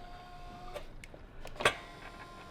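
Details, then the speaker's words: Exhaust flap-valve actuator on a turbo SOHC Ford Fairlane, bench-tested from the cigarette lighter: a quiet small-motor buzz with light clicks as the valve moves, steady and unstrained. It is adjustable and can stop halfway, so operation is normal. "it's working yeah have a look and it's adjustable too you don't have to open up all the way"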